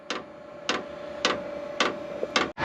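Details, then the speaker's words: Cheap Amazon 27,000 BTU Chinese diesel heater on first startup after install in a barn: fuel pump ticks sharply about every 0.6 s over a steady fan whine as the fan spins up and it lights; normal startup. "all right it's making noise now like it's lit should probably look outside and see if we can see smoke"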